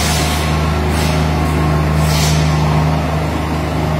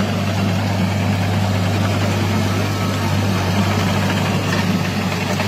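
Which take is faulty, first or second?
second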